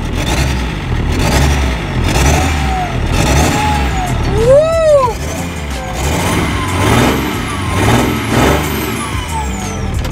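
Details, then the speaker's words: BMW M57 diesel swapped into a Mitsubishi Pajero, not yet remapped, gives a strong, deep rumble climbing and falling cleanly with each throttle blip; healthy engine revving freely. "Și suntem la drum cu M57-le, bă, deci e genial, bă, motorul ăsta."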